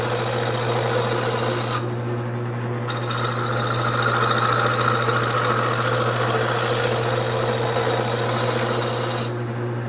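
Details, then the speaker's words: Wood lathe blank that looks round but is not: motor hum with a rough, rhythmic knock three or four times a second as the gouge bounces. It should sound smooth once the blank is fully round. "now one way to tell if it's completely round it looks round but it's not so if this bounces in any way and I can feel it bouncing that telling me that I'm not quite there yet Hear That Knocking Noise Okay it shouldn't it should be smooth and that way I know it is completely round"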